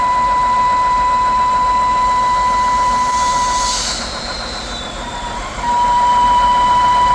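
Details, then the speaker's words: 2011 BMW 328i E90 3.0 N52, loud whine and running hot: loud steady high whistle over idle stops with the oil cap off; leaking valve cover gasket causing vacuum leak whistle; water pump also needed. "Valve cover gasket. It's leaking. Valve cover gasket leaking. And it's making it whistle real loud. When you take the oil cap off, the noise stop."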